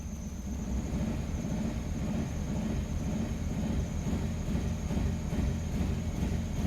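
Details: 2002 Infiniti QX4 idling with misfire (P0300, then P0304 after coil swaps), raw fuel smell, blinking check-engine light: low, uneven idle with a loose irregular stumble about twice a second.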